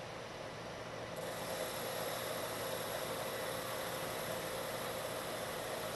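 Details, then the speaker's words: Lathe turning a long thin part, same depth and speed as a chattering pass but now supported by a machined center: steady even hiss with no chatter, giving a better surface finish. "this time you don't hear the chatter and if I stop the [Music] machine you can see I have a much better surface finish"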